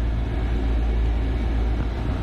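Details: Lochinvar boiler previously failing to light due to low air, now lit after a wiggle fix: steady deep roar of burner and fan, even unbroken rumble, no popping or hesitation, water heating; normal running.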